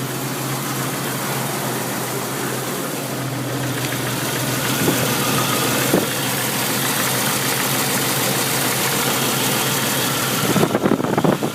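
Steady idle with a loose, uneven shake underneath instead of a smooth hum, some beats stumbling; rough idle, cause not evident. Cause suspected, not confirmed.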